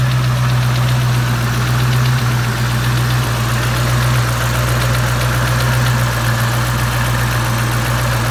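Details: 2003 Mustang Cobra SVT clone V8, 17 lb boost: a light, quick tick over a deep idle rumble, only when warm at or returning to idle; it began after a 5th-gear high-speed run in which the alternator quit; oil pressure is good, and the lifters and roller rockers have been replaced.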